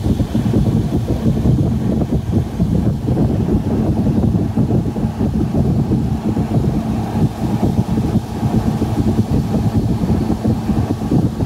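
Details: GE AHC12LYW1/ACH14AZW1 12,000 BTU window air conditioner on high after a DIY bypass of the control board that had caused 88-code shutoffs: steady low hum and even fan rush, no rattles, clicks or cycling; runs smoothly.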